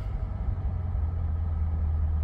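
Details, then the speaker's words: 2022 Chevrolet C8 Corvette, check engine light on, 192 degrees, restarted in neutral after stalling at a light with suspected transmission fault: low, uneven, wavering idle with shaking; rough running, cause unknown. "Doing a little shaking."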